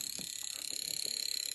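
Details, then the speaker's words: Fuel injector from a Jaguar XJ12 coupe on a bench injector tester in continuous pulse mode: fast, even clicking about 25 a second over a steady hiss. It sprays a fine mist, so normal injector operation. "Let's put it on continuous. Press go. You can hear that clicking."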